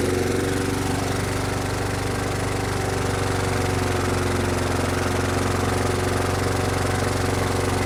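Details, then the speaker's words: Brute mower with a Briggs & Stratton Classic engine that surged (carburetor ruled out as the cause): a harsh, heavy, pounding, labouring idle, with the engine nearly locked up. Rough running, cause not yet known. "That doesn't sound good. That does not sound good."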